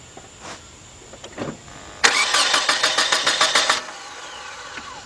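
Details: 1993 Nissan Altima crank-no-start, while checking for a computer signal during cranking. The starter spins the engine with an even churning beat for about two seconds but it never fires.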